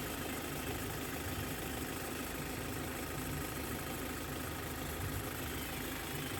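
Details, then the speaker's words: 2015 Hyundai Verna Fluidic diesel after timing chain replacement for chain noise: steady, unchanging idle clatter with no rattle or chain slap; engine smooth and healthy, normal idle. "അപ്പൊ ഇത്രയും കാര്യങ്ങൾ കാര്യങ്ങളാണ് വാഹനത്തിന് engine നല്ല smooth സൗണ്ടും നല്ല റണ്ണിങ്ങും ആണ്"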